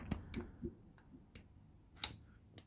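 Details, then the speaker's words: Subaru EJ255 from 2006 Legacy 2.5GT, rod-knocked engine being disassembled: sharp metallic clicks as cylinder one connecting rod is rocked by hand, bearing worn away completely with metal shards; other rods have no play. "hear that there is no freaking bearing left"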